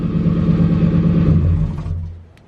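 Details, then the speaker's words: Ford Crown Victoria V8 after intake manifold replacement, which followed years of misfire, lean and O2 codes and a coolant leak: smooth, even run with a steady low hum, no stumble or misfire, then it settles; healthy. "Yo, running like a top. No misfire, no nothing."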